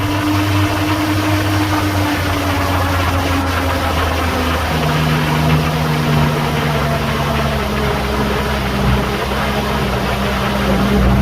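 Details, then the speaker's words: Clapped-out 1989 Toyota pickup: steady low engine hum with an even, settled beat, no knocks or misses, running smooth at idle. "It runs pretty smooth. It runs pretty smooth."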